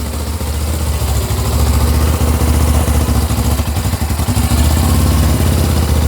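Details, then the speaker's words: 2000 Suzuki GS500E twin, recommissioned, electric start only, running on manual choke: steady, even low thump at a slightly raised idle with no misses or odd knocks; normal idle on choke. "So you're using the choke there. It's analogue, old fashioned."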